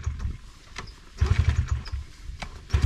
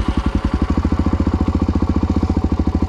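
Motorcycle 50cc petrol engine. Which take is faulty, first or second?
first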